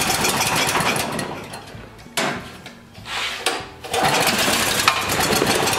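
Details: Small generator with carburetor problem, new aftermarket carburetor fitted without fixing it: engine speed rises and sags unevenly, nearly dying then picking up; lean hunting, suspected intake air leak, low-oil shutdown ruled out.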